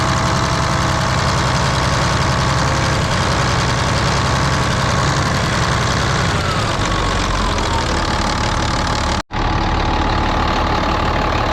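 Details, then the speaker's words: Volvo A30C off-road haul truck diesel at idle, being inspected before purchase: raspy puffing chuff over the rumble, steady with engine speed; exhaust leak, which the seller had reported. "that one's definitely got an exhaust Lo which they said it did you can hear that exhaust leak in this one pretty good"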